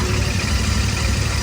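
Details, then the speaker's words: 2024 Royal Enfield Continental GT650 twin, a new bike started for comparison with one showing tappet ticking after first service; steady low, even idle rumble with no ticking or tapping; normal idle. "ਲੋ ਜੀ ਆਪਾਂ ਨਵਾਂ GT start ਕਰਕੇ ਦੇਖਿਆ ਇਚੋ ਆਵਾਜ਼ ਨਹੀਂ"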